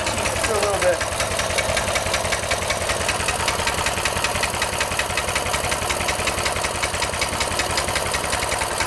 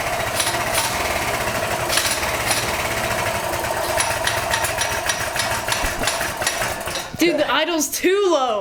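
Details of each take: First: Small single-cylinder engine with newly installed 22mm Mikuni carburetor, after raising idle: steady even putter about two and a half beats a second, no misses; normal clean idle. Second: Small single-cylinder engine after 22mm Mikuni carburetor install replacing stock carb: slow, lumpy idle with loud uneven pops barely holding on; idle set too low, then adjusted up.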